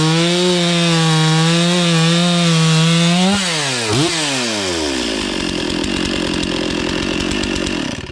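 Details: Stihl MS460 chainsaw stored 5 years, after air, oil and fuel filter changes and oil pump repair: strong steady high rev dropping smoothly under cutting load, even cut without misfire; runs healthy.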